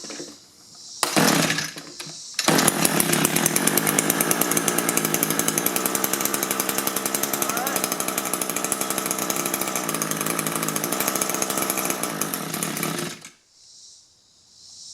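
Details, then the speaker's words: Echo two-stroke hedge trimmer, nearly new, engine replaced after being run on straight gas, barrel-type carburetor: buzzes steadily at high revs on choke for about ten seconds, then cuts out; runs only on choke. "move the choke lever and it won't run. They actually told me they did a hedge trimming job running it on choke."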